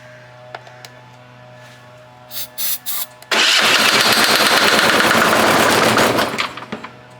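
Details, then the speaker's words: Hatz 1B20 diesel on a military surplus pressure washer, barely warmed up: after a few false catches it fires into a harsh clattering knock at about three beats a second, then dies; cause unknown. "free it doesn't sound good at all [Applause] H all right we're just going to keep trying the same thing and hope for a different outcome"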